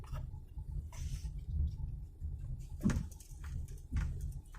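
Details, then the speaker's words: 2014 Toyota Avanza G 1.3, which clunked at the rear over potholes and speed bumps, after replacing the rear lateral bushing, driven over speed bumps: low road rumble with soft muted thumps and no sharp clunk; rear suspension now quiet. "Oke, adem. Nah, ini ada satu lagi. Nah, anteng ya."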